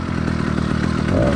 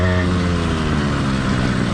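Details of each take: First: Cheap single-speed motorized bicycle kit two-stroke engine with single-circuit carburetor during cold warm-up after start: uneven, lumpy beat with skipped firings as it runs rich; four-stroking for the first 2–10 minutes is normal and expected. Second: Cheap single-speed two-stroke motorized bike kit engine, warmed up but not heat soaked: revs drop then settle into an even two-stroke buzz with steady beat; normal smooth running.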